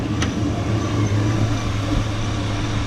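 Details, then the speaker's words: 2001 Chevy Suburban, first start after fitting a brand-new AC belt and tightening the belts: steady, even low idle rumble with no chirp or squeal; accessory drive sounds healthy. "so let's go and start it up and see if it squeaks. It's a brand new belt, it shouldn't."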